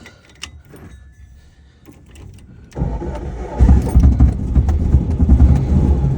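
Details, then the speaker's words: 1970 VW Bug air-cooled engine after distributor swap and new cable, started before test drive with a little gas: brief crank, fires right up, settles to steady even idle; normal start. "Fires right up."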